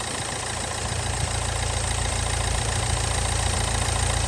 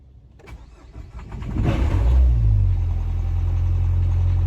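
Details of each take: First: Nissan Juke with very low mileage, battery nearly dead: a steady, even idle with a deep low drone and no knocks or ticks; the engine sounds healthy, just very loud. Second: Low-mileage Nissan Juke bought at auction with a flat battery: engine cranks, catches and settles into a low, uneven lumpy idle pulsing about four times per second; runs rough, cause unknown.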